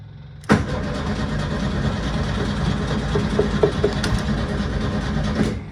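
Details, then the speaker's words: 1972 VW Super Beetle, parked a week after repeated battery problems and kept on a trickle charger: steady starter cranking with a loud, noisy fuel pump buzz underneath. It cranks but won't fire. Owner suspects no spark or the still-connected trickle charger. "nothing how weird is that what in the world what in the world it's like there's no spark or something"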